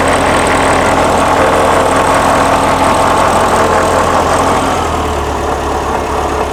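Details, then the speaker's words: 1979 VW Super Beetle, fuel-injected, at warm idle: slightly uneven beat with an airy hiss on top; a vacuum leak is suspected but not pinned down. "she's idling down it's on it warm idle startup let me get this uh button up and uh get a get a timing light on this do you have a vacuum leak"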